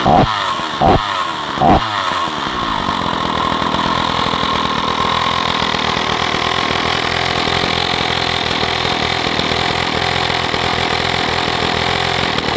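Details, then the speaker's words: Stihl 045 AV chainsaw, first start after new piston and rings; a few sharp pops as it catches, then steady, even two-stroke idle with no misses or knocks. Normal idle. "but this saw has a brand new piston and new rings in it that's the first time I've heard it run"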